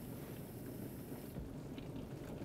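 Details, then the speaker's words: Frigidaire/Electrolux Solero (Gallery) dishwasher still filling as the wash motor starts, drawing 0.2–0.4 amps: low even churning of circulating water, no knocks or squeals; wash circulation normal. "Sounds like my motor's starting to try to move around. Still filling, but I do hear motor. I hear movement inside."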